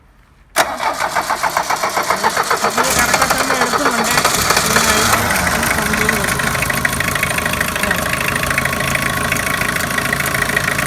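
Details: 2006 Tata Sumo Victa GX, 2.0-litre naturally aspirated indirect-injection Peugeot XD88 four-cylinder diesel, 5-speed manual, after starting-problem, vibration and dead-throttle fix: catches at once and settles into steady, even diesel clatter without misses; healthy start.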